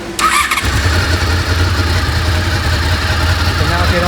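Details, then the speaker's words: Honda VFR800Fi Generation 5 after its wax idle unit was replaced by fitting a replacement throttle body: the engine catches and drops into a steady, even low idle that holds without hunting or surging; idle is now spot on. "you can hear the idol now sits absolutely spot"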